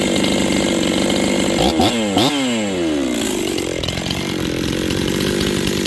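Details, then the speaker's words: Rebuilt Husqvarna 266XP chainsaw with a new top end installed, on its first run with final carb settings not yet done. Throttle blips rise and fall, but revs climb slowly from idle, lazy off the bottom, with carb tuning suspected. "flipping the throttle you guys can hear it's a little lazy off the bottom I haven't done my final carb settings yet"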